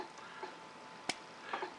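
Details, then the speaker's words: Late-1930s Onoto The Pen No 5601 plunger filler after full service with new cork seals: plunger pressed down in one swift stroke gives a single sharp pop at the end, the healthy sound wanted. "we press down in one swift movement like so and I'm hoping you can actually hear that sort of popping sound to the end there"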